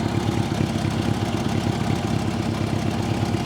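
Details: Old Honda Gold Wing idling after its starter was bypassed with a screwdriver: even, quick pulsing idle with no misfires or knocks. The start switch is suspected; the carbs leak petrol and probably need cleaning.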